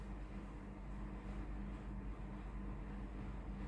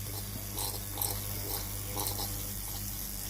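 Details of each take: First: Tefal GV8950M0/23 steam iron after water pump check, plugged in and ready: steady low even buzzing hum with no surging, water pump running normally. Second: Tefal GV8950M0/23 steam iron with no steam output, cooled and opened, pump hose dipped in water: low even hum with light ticking about twice a second, pump runs but delivers nothing.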